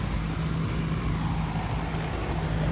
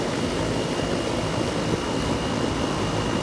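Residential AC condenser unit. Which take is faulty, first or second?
first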